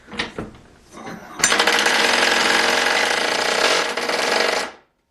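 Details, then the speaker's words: Ryobi impact driver, a few years of hard use, reassembled after a teardown that showed almost no wear: rapid rattling hammer blows pick up into a faster, higher buzzing high-speed run, steady and even; seems to have more torque when it kicks over to high speed; impact mechanism normal. "I want to show you what it sounds like normal versus high-speed so that sounds fairly so not exactly the most linear speed and it almost seems like it's got more torque"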